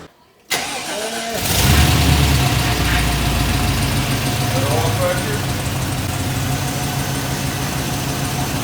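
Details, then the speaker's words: Chevy Silverado V8 with 200,000 miles, after a rebuild with new heads (old heads cracked) because it clattered on start-up: quick crank, clean catch, then a steady even idle with no clatter or knock. Repair seemed to fix the problem. "so we got the truck finished motor's back together and in it and it runs pretty good seemed to fix the problem"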